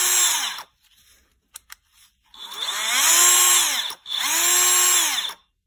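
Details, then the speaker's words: Craftsman CMCF940 heavy impact wrench (built 2023) with its gearbox removed, motor run alone. Clean, steady high whine rising and falling smoothly, no grinding or rattle, so the gearbox is suspected; the fault was later traced to a displaced shaft bushing. Normal motor run. "现在转动看着没有什么问题，声音也很正常，那有可能齿轮箱内部出了问题。"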